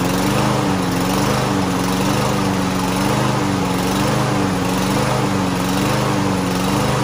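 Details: Lawn Boy walk-behind mower unused nearly a year, starting on starting fluid before carb cleaner: small engine rises and falls in pitch about once a second, hunting to stay running; engine surging.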